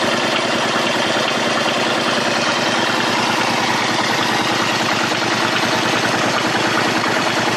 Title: Bruit moteur